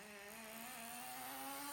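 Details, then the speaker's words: Traxxas T-Maxx nitro glow-engine RC truck, restored after sitting 15 years, on fresh nitro fuel: a high buzzing engine note holds steady, then climbs slightly as it pulls under load, clean and even with no misfire or rattle. "Well, it does. Well, that's not bad. It goes well as well."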